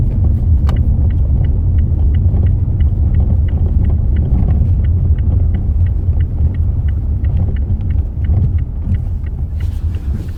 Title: Mazda 6 Knocking Noise from steering suspension